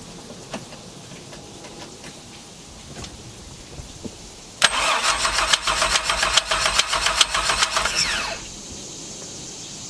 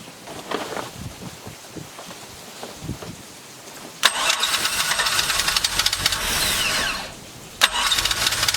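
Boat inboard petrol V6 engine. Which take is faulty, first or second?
first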